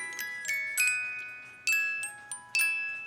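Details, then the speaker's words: 1983 Hummel cuckoo clock music box playing during cleaning teardown; clear plucked comb notes in an even, unhurried melody, each tone decaying cleanly; metal wheel, music box in good shape and plays nicely. "But the music box looks to be in really good shape. It plays nicely."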